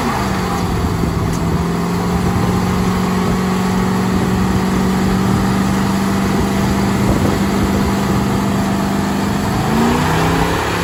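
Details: 1985 Chevrolet Corvette C4 on the road after the fuel problems were fixed with a fuel pressure regulator: steady engine drone under load holds an even pitch, then climbs cleanly with no stumble or hesitation; normal acceleration, healthy fuel delivery.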